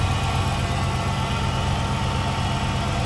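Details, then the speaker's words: 2006 Chrysler 300 SRT8, 71,000 miles, just after intake manifold gasket replacement for an intake leak: deep, steady, even idle with a smooth burble and no stumble or misfire; fired right up, running normally. "Wow, would you look at that? Fired right up, man. No weird hesitation or nothing."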